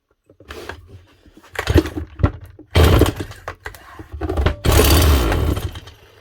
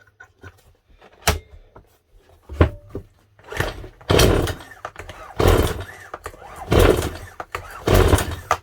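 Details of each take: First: Stihl MS181C chainsaw after rebuilding its aftermarket carburetor with a cheap kit (previously ran rough, low power, then wouldn't start): primed, choke on, fires first pull, throttle blips rise and fall cleanly with crisp bark; repaired, running healthy. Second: Stihl MS 181 C chainsaw that ran rough with low power before refusing to start, fitted with an aftermarket carburetor about 4 years ago: repeated pull-cord rasps, never fires. No start on pull; carburetor suspected, not confirmed.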